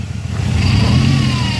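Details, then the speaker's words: GM 3800 V6 Grand Prix with check engine light on, revved: choppy, lumpy exhaust note with misfiring, chirping and heavy shaking from a failed coil pack. "rev it up you can hear oh it's chirping terribly sounds horrible right see how it's shaking"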